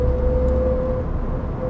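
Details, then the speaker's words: 2013 Opel Astra J 1.4 Turbo 120 hp, cruising around 100 km/h: a thin, steady, mid-pitched whine over road drone. The gearbox is noticeably noisy in 5th and 6th, possibly metallic noises; the cause is not confirmed. "cinquième et la sixième est assez bruyant vu que j'avais des défaut que ce n'était pas très grave sur les autres places nicolas trahissent ans des bagarres ce serait des bruits métalliques"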